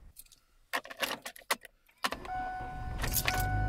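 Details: 2005 Kia Spectra with a no-start, after battery reconnection: keys rattle, then a brief crank and the engine catches at once and settles into a steady idle; starts fine.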